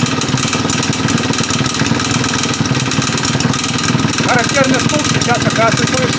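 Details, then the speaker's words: Husqvarna 580 BTS backpack leaf blower, two-stroke, just started and given a little throttle: uneven buzz at low revs with a characteristic loose knock under the note, clearly a serious internal fault (possibly worn piston pin or crank bearing); also leaking fuel. "и вот характерный суук прекрасно был слышен на низких оборотах тут уже естественно понятно что какая-то случилась беда"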